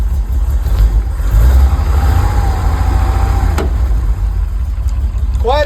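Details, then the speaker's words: 1969 Chevy C30 after refilling an empty transmission with fluid: steady low engine rumble in gear with no rattle; transmission noise gone. "Let's see how she sounds now. No rattling whatsoever."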